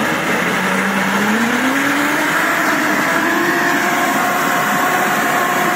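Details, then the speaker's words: Samurai rotary mower, 1.40 m cut, hydraulic cylinder removed, run in third speed with high rotor rpm: loud hum climbing then holding as the drive comes up to speed; sounds rough but the chain drive is normal. "косилка страшная гудит она страшно Но не надо этого бояться"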